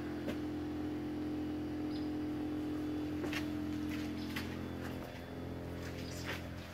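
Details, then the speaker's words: Pump in a solar outdoor shower fed from a 50-gallon rain barrel, priming through about 50–60 ft of PEX: a steady buzzing drone holds for several seconds, then eases as the pump starts drawing water; running normally. "so the pumps now running as long as the other end of this tube is in water it should start to draw water over here and it should push all the air out might take a few seconds"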